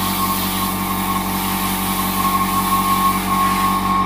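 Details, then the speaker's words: Iwata Studio Series Smart Jet Plus airbrush compressor under continuous draw: steady hum with fast regular pulsing, no sagging or fluttering, keeps up with spraying; running normally. "the compressor kept up with it it's not like i'm spraying and then it's fluttering it's dropping the air it's continuous so cracking little compressor guys"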